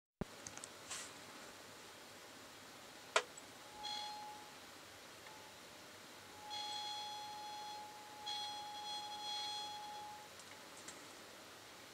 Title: Nokia Lumia 1020 Camera Squeaky Sound